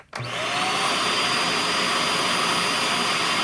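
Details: Shark vacuum after deep cleaning, on low speed: motor spins up quickly to a steady, even whir with constant pitch, no rattle or scraping; slight lag noted between motor start and power head turning.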